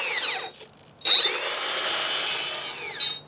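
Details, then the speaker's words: Holmes Hobbies Revolver 540 motor in a low-geared RC crawler on 3S, at full throttle on a trail run; a clean, mild metallic whine like a turbo spooling, with gears louder than the motor, all normal. "it has a very very mild metallic sound to it it just sounds like the beginning of a turbo spooling up and it doesn't get much louder than that as I increase you can hear the gear ears more than you can hear the [Music] [Applause] motor"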